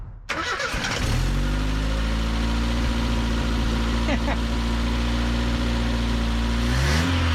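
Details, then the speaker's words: Truck last tagged 2005, revived with fuel poured into carburetor: cranks and catches quickly, settles to steady even idle with no knocks or misses; quiet, healthy motor, slight smoke likely from PB Blaster. "I mean the motor is nice and quiet it really sounds good"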